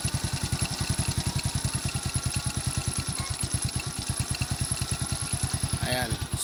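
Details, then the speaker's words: Carbureted single-cylinder motorcycle at low idle after carburetor mixture tuning: steady, evenly spaced putts about eight per second, no misses or hunting; mixture correct, engine runs well. "So kahit nakababa yung minor, ang ganda ng andar, ang ganda ng tunog ng makina."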